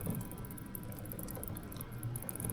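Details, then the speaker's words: Suzuki GSX-S150 chain and sprocket turning with a steady low whir and no ticking, after cleaning and lubrication; the ticking had been caused by a dirty front sprocket. "the ticking noise is gone back to normal okay okay, I've reinstalled the chain guard the shifter and the cover we're done with the chain and sprocket it's quiet now and it's clean again"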